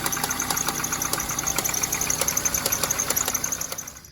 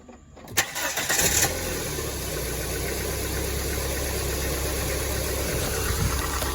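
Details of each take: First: Dodge Neon idling: sharp, loud ticks and snaps a couple of times a second from an alternator belt left too loose, which jumped over and is shredding. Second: Dodge Neon after fitting and properly tightening a new alternator belt, which had shredded and caused loud ticking: brief crank, quick catch, steady quiet idle with no popping or clicking; normal.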